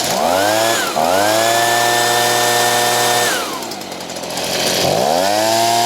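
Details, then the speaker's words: Stihl BG55 two-stroke leaf blower, fully warmed up, after a crank seal replacement with the carb screw at 1.5 turns. It previously bogged when hot. Now it revs crisply, holds a steady high pitch, drops to idle and revs cleanly again: fixed. "so I'm glad that fixed the problem usually it's carb issues and stuff like that"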